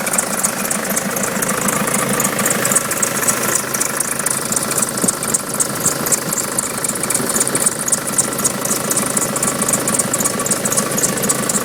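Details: Nissan Patrol 3-litre turbo diesel idling, which won't start unless jump-started: fast steady tick-like chatter with a faint high squeak on top; squeak at idle, source unclear.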